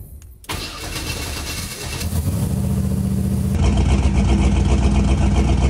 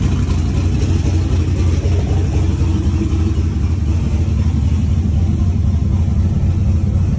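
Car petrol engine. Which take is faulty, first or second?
first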